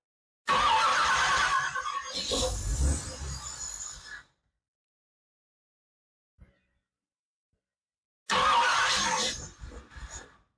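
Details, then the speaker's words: 1964 Ford Thunderbird FE 390 rebuilt with Edelbrock fuel injection, first start in over 40 years: cranks, catches briefly, runs a few rough seconds then dies, restarts and stumbles — hard start from lean fuel mixture. "okay something's going on not sure why we're not running I don't know if we need to move this one way or another"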